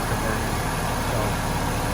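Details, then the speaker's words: 2001 Saturn SC2 restarted after exhaust and clutch-pin work, warming up: steady, even low petrol idle with no knocks or misses; slight smoke from sprayed cleaner, engine sounds healthy though clutch still not engaging. "look at that it started right up that time that's nice all right so we're gonna let this warm up for a little bit"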